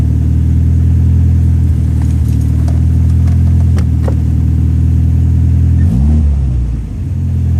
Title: St205 engine misfire